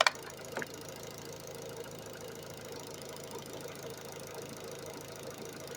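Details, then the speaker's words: Opel Astra running on LPG after valve stem seal replacement: quiet, even idle with only the light fast ticking of the LPG injectors on top; engine runs smoothly without knocking. "Maszyna chodzi ale fajnie chodzi cichutko kurczę gdyby nie te stukające wtryskiwacze od gazu to prawie słychać się maskę zamknęło"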